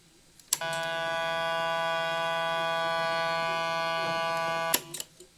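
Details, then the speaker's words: 1975 JVC 9407LS radio cassette player: pressing play gives a click, then a steady rich buzz for four seconds before another click; likely caused by the record switch, to be treated with contact spray. "Okay, there's a problem here, as stated before. When you press play, you get this buzzing noise. So you hear there, and the problem's due to the, more than likely, the record switch."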